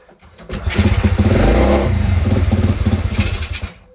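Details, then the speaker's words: Crashed pit bike, leaking fuel (owner suspects float), kickstarted: fires and pops unevenly about three seconds then dies; started after adjusting the idle screw, very smoky, likely sat a while. "Oh, come on. Why did it start and turn off?"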